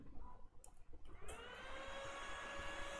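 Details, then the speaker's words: Lenovo ThinkCentre desktop with RAM removed, powering on with no display and no POST beep. A click, then the fan winds up to a steady high whir and holds. Missing CPU VCCSA voltage on the motherboard; fan dropped to low speed once restored. "it still turn on but it doesn't beep so it might be a bios issue"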